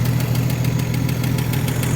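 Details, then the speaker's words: 1956 Chevrolet 235 straight six, parked since 1989, first run after 36 years on a carburetor full of fuel: steady, even low rumble with no misses or stumbles, no exhaust smoke; normal idle. "But look at that. Is that sound like smooth or what? And there's no smoke coming out of the tail of this thing."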